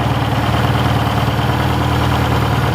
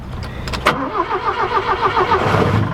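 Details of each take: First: 1967 Toyota RT40 Corona engine: steady even low idle with smooth beat, no knocks or stumbles; engine runs sound, goes into gear well, clutch needs bleeding; normal idle. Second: 1967 Toyota Corona RT40 first start after long storage: fires first crank then uneven loping idle, needs feathering throttle to keep running; owner suspects stale fuel and cold engine.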